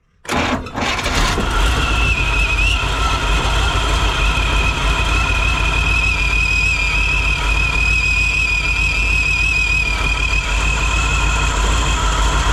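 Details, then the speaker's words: 1957 Chevy sedan delivery on a 4x4 Chevy truck frame, 454 big block with SM465 and NP205, started after being bought as a parts car. It pulls fuel from the tank, cranks briefly, catches and idles steadily with a faint belt-like whistle. It runs well. "I think it runs well enough that I'm going to move forward with putting the axles in and getting it driving"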